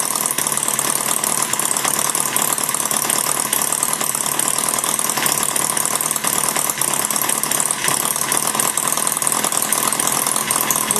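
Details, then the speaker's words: Maier TA4 model engine on gas, warmed up with light load on the flywheel and all cylinders back in rotation: a fast, dense, even patter of firing pulses with no gaps. It runs smoother warm; all cylinders are firing normally. "it actually runs a little smoother once it warms up with a little bit of load on the flywheel"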